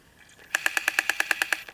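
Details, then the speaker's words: Japan-only Minidisc player with cleaned battery contacts, reading a disc: about ten sharp, high, evenly spaced clicks at roughly nine per second, not on every track, though tracks read fine; intermittent clicking, cause unknown. "there we go there's that sound again so i don't know why it makes it reading this again so now as i go through the tracks it didn't do it on that track so sometimes it sounds like it's getting stuck but it's actually reading the track fine"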